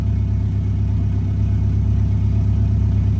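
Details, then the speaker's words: Integra after the vacuum leak repair, cold: a smooth, even fast idle around 1000 rpm with a steady low pulse and no knocks or misses. It is expected to settle as the engine warms. "we're chilling at a grand right now but when it starts to warm up it will come down from that"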